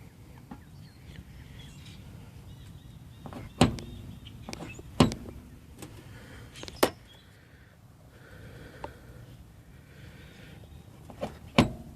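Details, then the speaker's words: Mitsubishi Lancer with Megan Racing coilovers bounced by hand: sharp irregular pops and knocks from a loose coilover bottom nut; fix is torquing the nut tight. "to fix this uh bounce it up and down you just want to torque this down right here torque this uh this bottom nut right here down make sure it's good"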